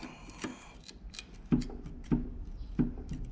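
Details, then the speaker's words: Sand rail engine, pulled from the vehicle for an oil leak with a mangled rear main, crankshaft shoved back and forth by hand about 1/16 inch: dull metallic clunks; thrust bearing completely shot, whole engine probably shot. "You can definitely hear it, but it's moving back and forth about 1/16 of an inch. So the thrust bearing is the one that controls the in play on the crankshaft, and it's completely shot, which means the whole entire engine is probably shot."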